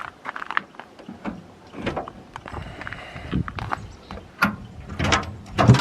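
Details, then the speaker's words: Tilt deck trailer hydraulic pump not raising despite fully charged battery and booster pack; pressing up gives only scattered solenoid clicks, pump motor not spinning. "Nothing for up. You can hear the solenoids, but you can't. It It doesn't do anything."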